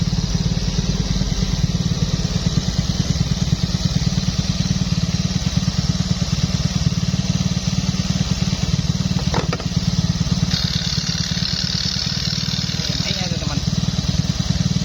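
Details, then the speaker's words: Fario 125 motorcycle, idling right after an engine rebuild test start: small single ticking over steadily and evenly, described as very smooth. No knocks, rattles or misses, a normal idle. "Oke, sudah hidup. Nah, ini untuk suara mesinnya sangat lembut sekali ya, Teman-teman."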